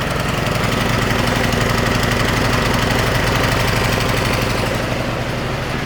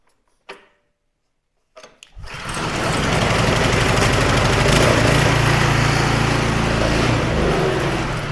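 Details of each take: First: Non-starting snowblower small engine on a trial BPR4ES plug with starting fluid: rough uneven chugging about four beats a second, smoking heavily; oil level a hair high. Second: Snowblower small engine after smoke possibly from owner tipping it to drain gas, plug torqued in: quiet, then catches and settles to an even steady beat about 214 per minute, running clean.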